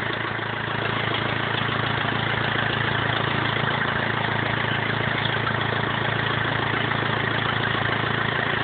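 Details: BMW E46 320d 150hp diesel, first start after engine overhaul following swirl flap failure: even diesel clatter at steady idle, regular firing, no knocks or misses; normal idle.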